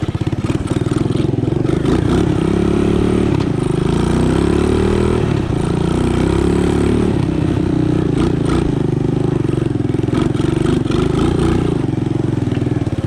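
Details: Honda ATC 200ES single-cylinder, long unused and previously dead, just fitted with a Chinese carburetor: fast, slightly hunting idle that never settles, set too high; idle to be dialed back, air-fuel mixture may need adjusting.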